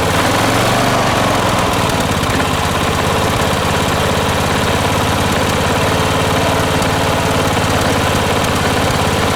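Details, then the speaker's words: Strong, steady V-twin beat at even idle, no misses or knocks, from a 36-year-old Kawasaki FV460V engine in a 1980s John Deere RX95 ride-on mower after carburetor and starter rebuild; running healthy. "all right she sounds good"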